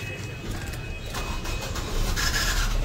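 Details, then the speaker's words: Nissan Sunny petrol with cylinder 1–4 misfire codes P0301–P0304, after the repaired ECM was refitted: a smooth, even idle that builds cleanly under revving with no stumbling or missing. An oxygen sensor fault code remains. "गाड़ी हमारी first class start है। Race देते हैं जी। First class okay हो गई है। जी। गाड़ी में किसी भी प्रकार की कोई मिसिंग नहीं है अब।"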